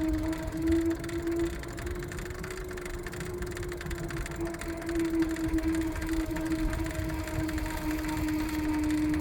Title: My new Xpeak hub motor Rattling noise